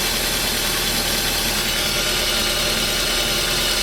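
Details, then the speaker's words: Nissan Primera SR20DE manual that sat four to five months: rough idle with a rattly top end; it runs a few minutes then dies. Strong spark is seen, but the owner suspects intermittent spark loss is causing the stall. "so it's running the game they'd let me run for a few minutes and then it'll turn off [ __ ] knows why"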